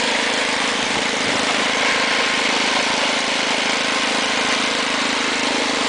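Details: Ariens two-stage snowblower with 6 hp Tecumseh engine, trash-picked, throttle on fast, auger off: steady, even drone with no misses, surges or knocks as the single-cylinder settles in; engine and carburetor working well, normal running.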